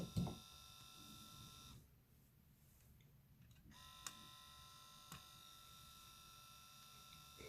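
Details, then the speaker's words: Panasonic Arc 5 shaver automatic cleaning station running its normal cleaning cycle: steady high electric buzz with light clicks. "I wanted to get to the point that you guys gonna hear that loud noise is gonna be making that's like the system shooting the water makes or the detergent to the machine it's pretty loud"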